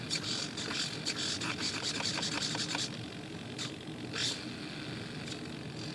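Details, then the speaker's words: RC glider (Volantex/Lanyu ASW-28) elevator servo, foam centering force transmitted back through bent control linkage: harsh high electric buzz in short bursts for three seconds, then eases; servo straining under load, suspected. "I just hate that noise. It scares me that it's not going to hold up well."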